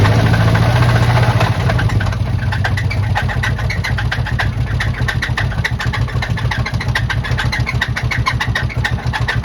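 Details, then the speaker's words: 2007 Chevy Tahoe engine, belts removed, catches and settles into a heavy uneven knocking idle with harsh screech; internal bottom-end noise, suspected rod or bearings, possibly lifters, not confirmed. "But that screeching sound is pretty bad. It sounds sounds like a rod swinging around or just bearings."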